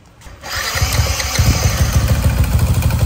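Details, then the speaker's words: Motorbike with rebuilt stock 62 top end at idle: fast, uneven, sharp clacking from the cylinder head, about three per second, still present after rebuild and all checks; cause unconfirmed. "Còn mình ấy thì mình chỉ nghe ở trong cái phần đầu thì có những cái tiếng kêu như vậy thì chắc là cam cò lỏng hay là gì đó thì mình tháo ra mình kiểm tra thôi."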